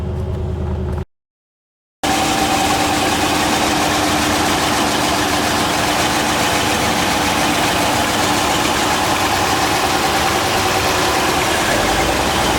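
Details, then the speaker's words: 1972 Mercedes 280 SE 4.5 V8, warmed up after a drive: smooth, even idle holding steady with no knocks or misses; normal healthy idle. "now it's warmed up a little bit you can hear it just idles like normal"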